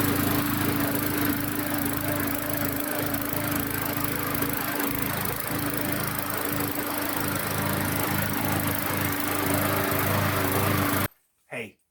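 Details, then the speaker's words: Push mower after replacing the ignition coil to fix no spark and no start: steady high-pitched buzz holding even speed about eleven seconds, no misses or surging, running properly. "after that you just put your cover back on and you've got a good running mower again"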